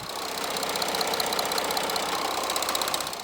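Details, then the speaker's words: Audi A6 C7 CRTD diesel idling with quick, sharp ticking from the cylinder head at low mileage. Typical of poorly serviced imported cars, it is attributed to worn hydraulic lifters or rocker arms. "це друзі звук з двигуна таке буває в дизельних двигунів нового покоління серія ртd C на невеликих пробігах"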